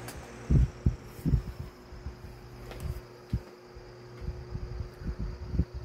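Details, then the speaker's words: Lasko 1820 18-inch five-blade stand fan (2006) with a 16-inch fan motor, on low speed: soft, even low hum with faint steady tone; very quiet, normal running. "as you can hear it's very quiet"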